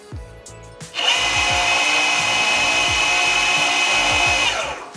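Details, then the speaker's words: Boosted Board V2 Dual+ electric skateboard, one rear wheel much louder while riding: motor spins up to a harsh gritty high whir with rough grinding over steady whine; owner suspects bent motor drive shaft. "sounding like crap so this is probably a drive issue"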